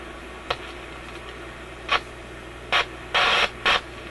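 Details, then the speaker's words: Canadian General Electric KM-5 vacuum tube radio, paper capacitors replaced, quiet hiss broken by crackle bursts switching on and off irregularly; intermittent audio output fault, suspected heat-related contact or bad tube contact, not confirmed. "of sounds like a heat related thing or something he's making contact Heating and then breaking off it's quite a distinct on and off to it"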